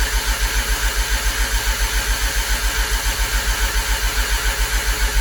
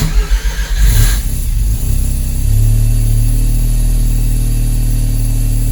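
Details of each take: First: Mazda RX-7 Turbo II rotary after three months' winter storage, cranking on the starter with the fuel off, mic outside the window: steady, even cranking with no catches or knocks; oil pressure about 30 psi and rising. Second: Mazda RX-7 Turbo II rotary, cold start mid-winter after three months in storage, idling with no throttle: lumpy, uneven low idle that hunts slightly; owner suspects it runs lean and needs more low-end fuel enrichment.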